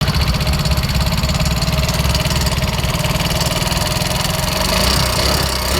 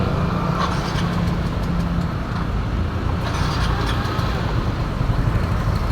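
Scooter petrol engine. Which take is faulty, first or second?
first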